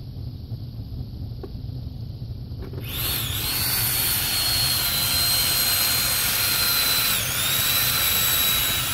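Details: Toyota Tundra secondary air pump, removed and bench-tested with 12 V after opening the housing: quiet, then spins up to a steady high whirring whine, motor runs freely; pumps prone to water intake causing limp mode, VSC and check engine lights.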